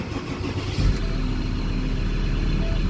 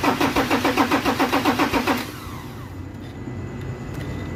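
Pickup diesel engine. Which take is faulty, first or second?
second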